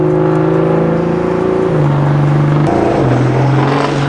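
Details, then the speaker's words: BMW M235i after new ignition coils and spark plugs, driving away from a meet: rough uneven note stumbling and stepping in pitch with throttle; hard misfire, owner suspects high pressure fuel pump, coils or new plugs. "I think it's the high pressure fuel pump or the coils. It could be the new spark plugs. But basically, it's misfiring dumb hard."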